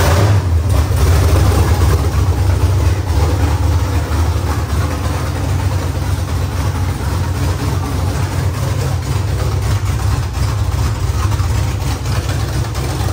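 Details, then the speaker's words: LS V8-swapped Nissan S14 first-ever start, no exhaust fitted; deep, loud, open rumble with slightly lumpy but steady idle beat: normal idle. "imagine what it sounds like when it's drifting it's be so loud I don't want an exhaust on me no we have to put an exhaust on keep it like this it would sound so nice like this"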